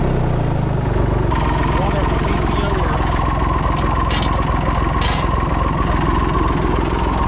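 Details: Massey Ferguson 245 three-cylinder diesel tractor idling after 12+ years unused, apparently burnt/melted radiator, during power steering check; steady, even clatter, regular firing, no misses or knocks. Normal diesel idle.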